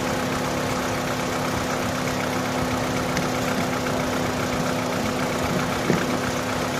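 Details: Opel (Vauxhall) that cranked but would not start: steady, even idle with a smooth low hum and no misses or knocks; engine running normally at idle.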